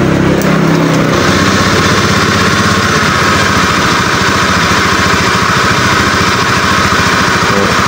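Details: Honda Scoopy eSP injected scooter, previously stumbling when cold, after fault found and ECU reset: quick start, then fast even putter holding steady at idle without stumbling or surging; normal.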